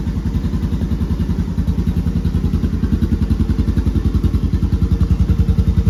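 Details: Honda TRX 250X quad on its stock OEM exhaust (called restrictive), before the HMF exhaust install. Steady, even low thumping single-cylinder idle, regular beat with no knocks or misses; healthy.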